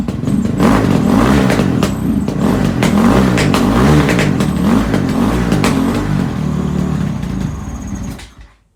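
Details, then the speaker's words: Honda CRF450X single after valve clearance check (in spec): fires on choke but runs ragged and uneven with clattery surges, then dies after about eight seconds. Owner suspects the carburetor; cause unconfirmed. An electric-starter issue was also mentioned. "Something don't sound quite right though. My thoughts are it's possibly carburetor related, but I guess I'll ask and find out."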